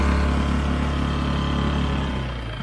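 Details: Barn-find 4-stroke 5 hp Mercury outboard, after its water outlet was cleared: it runs steady and even at a low hum, with no misses or knocks, and cooling water is flowing out.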